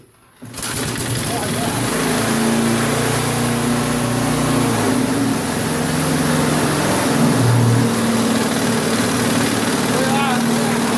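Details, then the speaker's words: Old Briggs & Stratton 3.5 HP lawnmower that would not start, now repaired and running; starts and settles into an even steady buzzing drone, no stumbling or surging. "so I guess a little bead loc and it runs"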